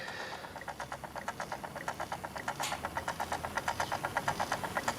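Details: Osaki time switch clock motor: sharp evenly spaced clicking about 100 times a minute over a faint hum, teeth skipping on a stripped gear inside the motor gearbox, gear debris found in the bottom.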